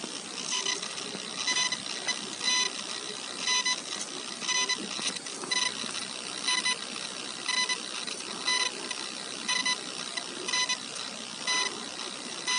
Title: Coil Whine - Asus ROG GL703GE / Свист дросселей (писк)